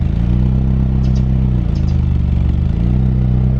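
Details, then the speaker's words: Mk4 Jetta engine after head gasket replacement: steady low drone that briefly sags and stumbles twice, a small hesitation; cause unconfirmed, a misfire is suspected, with an oil change and new spark plugs suggested. "My shit ain't even never sound like this. Yeah, it sounds like you had a little small hesitation."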